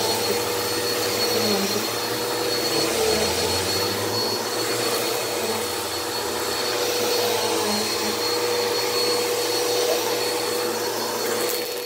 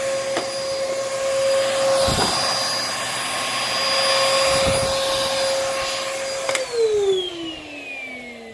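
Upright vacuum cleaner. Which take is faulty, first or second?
second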